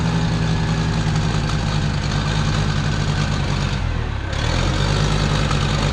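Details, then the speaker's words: 1968 Case 580CK backhoe 188D diesel after seized-engine rebuild, low hydraulic fluid; heavy uneven chugging, won't rev properly, injectors spray only one or two holes; rough running from faulty injectors. "Well, it runs not very good. I will say that it really needs injectors really badly."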